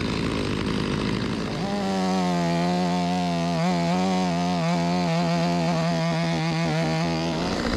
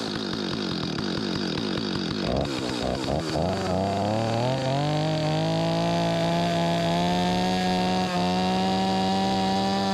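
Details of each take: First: Stihl 025 chainsaw (16-inch bar), hot no-start from flooding, test run after carburetor replacement: catches after a brief crank and holds a steady, strong buzz with small speed swings, running smooth and clean; chain dull but saw rips; normal running. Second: Stihl 025 chainsaw, owner reports a no-restart once warmed up; choked pull-start catches and revs unevenly, hunting and stumbling before a rough steady buzz. Fueling problem, later traced to a stuck carburetor diaphragm causing flooding; low on gas at the time.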